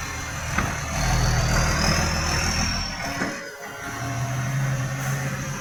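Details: Diesel truck with massive exhaust leak: loud raspy roar with a chuffing puff rising with revs, much louder than normal.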